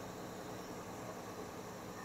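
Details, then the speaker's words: 2002 Ford F-350 Super Duty 6.8 L V10 gas idling right after spark plug replacement: steady smooth low hum, no misses, ticks or knocks; no check engine lights. "I mean I'm pretty impressed I don't hear anything wrong"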